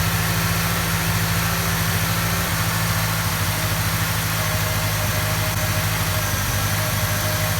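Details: Ford XR4Ti turbo, first run after fixing a fuel leak, coil wire pulled first to build oil pressure; coolant flowing: smooth, even idle with a steady low drone, no knocks or misses. Normal idle.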